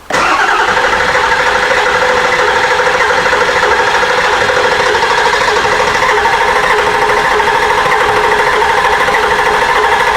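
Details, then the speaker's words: Ford F250 7.3 Powerstroke diesel after replacing injector cups, injectors, glow plugs and water pump: long, steady cranking without firing because the drained high-pressure oil system must refill and build pressure. Extended cranking, hard start. "it's going to roll over a lot of times and it's going to smoke like a freight train once it gets started"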